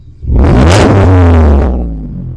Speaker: I mean, it sounds pretty nice.